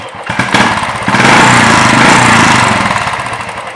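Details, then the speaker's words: Royal Enfield Bullet BS4 single-cylinder, blipped from idle: light tappet ticking grows slightly with revs, normal; separate chak-chak sound comes from the charcoal canister. "चक चक चक जो साउंड आ रहा है वो charcoal connector से आ रहा है, ठीक है। एंड ये जो टैपिंग नॉइज़ है इतना नॉर्मल है।"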